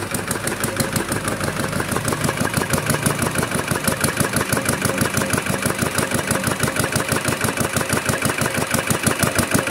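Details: Kubota RD65DIS single-cylinder diesel after a service with the cylinder head refitted and timing set, running without exhaust and fitted with an RD85 pusher: even, crisp beat at about three firings a second with no misses; running healthy, with a dry exhaust.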